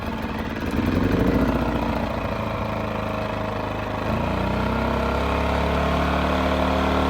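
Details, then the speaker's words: Amerisun 2500 W generator started after an oil change, vent on, choke, eco mode off: catches, hunts briefly, then holds a smooth steady hum with no misses; normal running. "Then give it a good pull, get it fired up. That's it."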